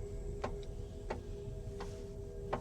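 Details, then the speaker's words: Kia EV5 GT-Line (Australian export model), driving slowly in a parking garage: sharp single taps about every 0.7 seconds, like someone knocking on the roof or side; source unknown. "딱 딱 딱 하면서 누가 지붕에서 차를 옆이나 위에서 뭘로 이렇게 툭툭 두드리는 거 같은 약간 그런 소리가 납니다."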